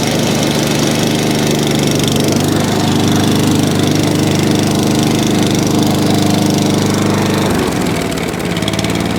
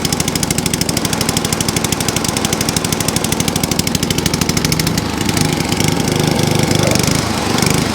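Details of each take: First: ATCO 14SE cylinder lawn mower with Tillotson carb, holding fuel, started on choke; steady, even single-cylinder beat holding speed, sounding properly fuelled; runs lovely, normal running. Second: ATCO cylinder mower with a Dell'Orto carb, left overnight with fuel and no leaks, started on choke: rapid single-cylinder firing that swells and sags every second or two; hunting because the choke was set too far.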